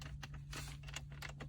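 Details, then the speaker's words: Mercedes W212 cup holder, detachable all-plastic part with no cushioning between pieces, worsening over years: light dry plastic clicks and clatters in quick irregular bursts as the loose holder moves; tesa tape to be applied as a cushion. "이쪽이랑 여기 사이에 뭐 딱히 완충제 같은 게 없어요. 완전 그냥 플라스틱 덩어리거든요. 쓰다 보면은 이런 소리가 되게 많이 납니다."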